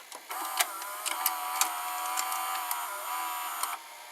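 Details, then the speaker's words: JVC HR-D400U VCR (same mechanism as the JVC-made Zenith VRD208) pressing play: whirring motor run of about three seconds with a few mechanical clicks as the tape threads, louder than the Zenith; normal tape loading cycle. "Like when you press play, you will hear the tape loading. It's very quiet, and when you press play on the JVC,"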